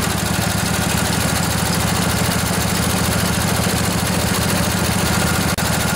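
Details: Revived junkyard Briggs & Stratton Intek OHV twin, 20–22 hp, model 40777, in a Husqvarna riding mower, with a new carburetor: even, steady low putter at a fast idle, regular firing pulses, no misses or knocks; runs smoothly.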